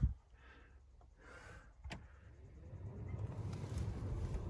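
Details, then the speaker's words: 2007 Dodge Ram blower motor just replaced with a new unit (old one moved almost no air from the vents), running at low speed: a steady airy rush builds from quiet. Normal blower operation with strong airflow. "oh wow. Hey, there's air. You guys can probably hear that actually. Air."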